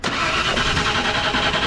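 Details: 1995 Ford F-150, crank no start: brisk steady cranking with booster pack that never fires; test light shows no spark at coil despite previously replaced coil, wire and ignition control module.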